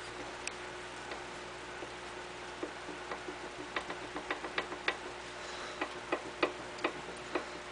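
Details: Briggs and Stratton ZH engine, partly disassembled, crank turned slowly by hand while hunting a knock: sharp, scattered light clicks. Owner suspects cam gear teeth, unconfirmed; main bearings feel tight and the exhaust valve was stuck. Clicking when turned by hand.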